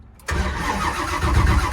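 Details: 572 big-block Camaro during cold-start tune work: steady low cranking, engine never catches; crank-no-start despite coil heard firing and RPM signal present, cause unknown.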